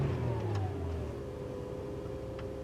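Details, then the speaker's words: 2009 Buick Lucerne CXL 3.9, cold start, no check engine light: revs drop to a low, uneven, stumbling idle. Customer reports a no-codes misfire mostly on cold starts; cold start misfire, cause not yet found. "She had some misfire there. We don't want to get her too warmed up."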